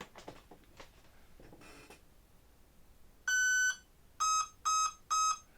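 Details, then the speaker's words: E-Flite Apprentice S 15e RTF electric RC plane, 3S 1300 mAh battery at 11.6 V plugged in for binding: rising set of three short beeps then a longer tone; normal ESC startup tones. "You get the three tones, but the receiver won't start flashing until you actually turn on the switch."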